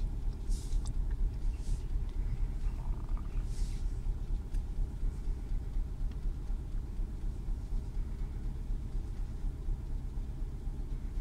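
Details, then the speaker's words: Renault Clio 2 1.4 16V at first cold start of the day idling around 1000 rpm: deep uneven rumble with stumbles, car shakes, engine light flashes; scanner reports misfire on cylinder 1 despite new coil and plug. "ce fameux sucre donc là le moteur il est sur 1000 tours mais si vous voyez donc moi qui est dedans la voiture la voiture tremble et sûrement le témoin gestion moteur va clignoter pour un moment voilà c'est le cas"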